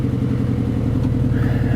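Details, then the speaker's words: 2008 Mercedes-Benz GL450 with a lift kit, low miles, idling and then given a light rev. Lumpy, uneven idle pulses heard in the exhaust that do not clean up with revving; engine misfire. "it's one of the best smoothest idling engines I've ever seen with a misfire I mean seriously but you can hear it in the exhaust"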